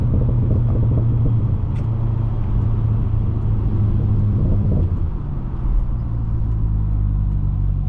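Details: 400+ HP C6 Corvette V8 driving with real shifting, after harmonic balancer, crankshaft bolt and crankshaft seal replacement; deep, steady, smooth rumble with no knocks, ticks or whine; only a squeaking clutch pedal is noted.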